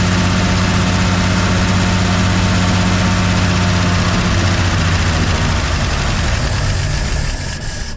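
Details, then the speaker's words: 1953/1954 Chevy 6400 farm grain truck run on prime: rough idle fades and dies in seconds; fuel pump not pumping at all, fuel starvation, likely why the truck was parked. "she's not picking up nope turn the key off Joe it's not hitting nothing now it's not even touch of it now this is probably why this truck was parked"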